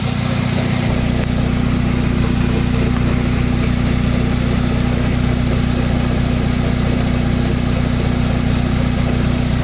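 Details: Spider sports car while driving: a constant low droning growl from the driveline. The owner suspects a worn bearing inside the transmission rather than a CV joint, not confirmed.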